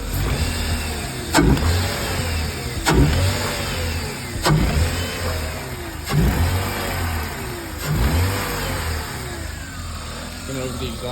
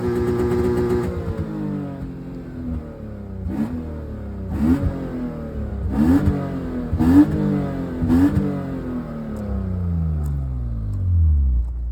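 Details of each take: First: BMW E36 with misfire under load: engine revved in bursts about every 1.5 seconds, sharp crackling pops from the exhaust as each rev drops; exhaust popping. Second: BMW E36, nearly 30 years old, that sometimes misfires under load: several quick blips toward redline, each rising cleanly and falling back smooth with no stumble or pop; revs evenly, though the exhaust runs very hot and the owner suspects the cat.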